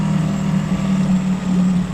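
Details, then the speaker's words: 2011 Suzuki DF9.9A four-stroke outboard, after cleaning carb and fixing damaged choke valve threads that caused stalling, in test tank, idle adjusted: steady low-pitched burble at even idle, no stumble or hunting; normal idle. "I think I've got the the idle dialed in there"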